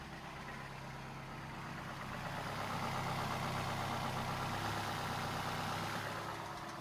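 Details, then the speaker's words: Neglected VW Passat at warm idle: fairly regular knock, about three per second, that swells and fades; sounds like a rod bearing knock, but a cracked flywheel or timing chain tensioner is also suspected, unconfirmed. "It does sound like a very pronounced rod bearing knock, but in my experience I've seen flywheels being cracked and timing chain tensioners causing this very similar knock."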